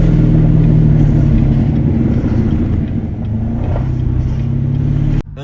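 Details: C7 Corvette with a suspected transmission problem: low, uneven rumble at slow speed with a dip in pull midway; bogs and hesitates, and shook badly and nearly stalled when driven faster earlier. Cause suspected, not confirmed.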